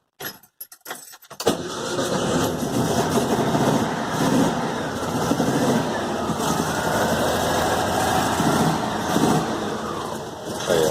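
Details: VW Fusca (Beetle) air-cooled engine after tightening a loose cylinder head bolt that caused an exhaust-like roar: cranks, catches and settles into an even idle with no knock or ticking; the noise is gone.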